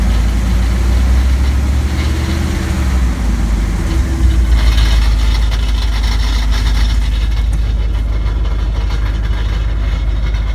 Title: 2001 dodge ram 1500 5.2l, 77k miles. Knocking noise